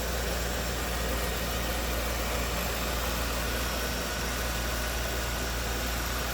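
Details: 1995 Cadillac Sedan DeVille, 30 years old, actual miles, tech noted slight seeping, running with the hood open: even, steady idle with a low rumble and no misses, ticks or knocks; very smooth runner.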